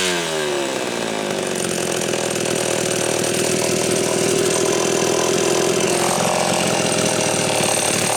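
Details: Homelite Super XL chainsaw after fixing a loose cylinder nut (cylinder gasket issue) and filing and gapping the points. High steady two-stroke scream bogs only slightly as it bites into wood; runs strong and clean under load, being retuned from slightly lean.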